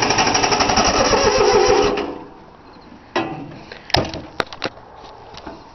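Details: 3-cylinder Yanmar diesel cold start with glow plugs: two seconds of rapid, even cranking chuffs that never catch. Cranks but won't start because the fuel lines weren't bled (air in lines); owner also suspects a worn starter.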